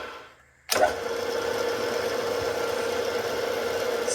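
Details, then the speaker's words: CNC mill with a Big Daishowa spindle speed increaser. The spindle spins up into a steady mid-pitched whine that holds even, without knock or rattle. Running smoothly. "is cruising 4250 at this at this spindle here and there's a little bit of pressure on it but I mean this is so much better"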